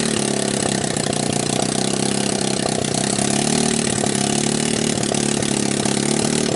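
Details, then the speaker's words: Returned TMEC 150cc GY6 scooter motor test-started in its shipping box on a jump pack and portable 12V CDI; catches at once, quick even unmuffled idle, clean throttle blips, no knocks or misses; hot exhaust melted foam; starts and runs normally. "so there we have it obviously it starts and it runs"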